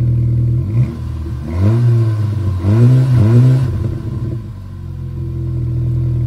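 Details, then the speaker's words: VW Scirocco after replacing the faulty coil pack, revving to check for splutter (later second-gear full throttle to about 5,000 rpm): picks up cleanly on quick blips and drops back to a steady idle with no stumble; healthy. "I just need to give it a little bit of beans just to see if it's gonna splutter or not. Okay, pop it down a gear, second gear. Absolutely full throttle, but I did rev it to about 5,000 RPM then."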